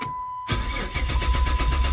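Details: Silver Dodge Charger that quit on the road: door chime, then the starter spins the engine strongly and evenly but it never fires despite a full tank. No fuel reaching it; the fuel pump has failed.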